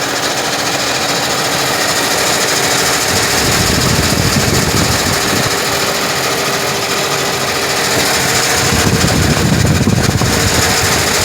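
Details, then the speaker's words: 2007 Chevy Equinox LT V6 with 149,000 miles, just after start: a fast, uneven mechanical chatter about three to four beats a second over the engine hum, from the engine bay. The owner says it is not the water pump and suspects the starter. "so when they start only it's a strange noise coming around the engine bay so if anyone know anything about this noise let me know"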